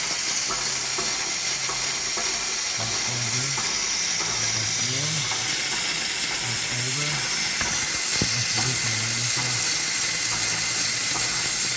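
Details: Power Stroke pickup with no start when hot: steady sharp hiss with faint uneven puffing from the top of the #7 injector, fuel leaking past a bad upper o-ring.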